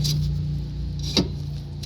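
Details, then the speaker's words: 2003 Dodge Neon left rear wheel that rolls a little then locks solid, turned by hand: low hum with one hard clunk as something hits inside the drum; the rear drum brake lining has come off the shoe. "is definitely hitting here go this way and then I'll go around and hit again it'll stop whatever is hitting pretty solid so I'm thinking maybe the possible brake lever that go"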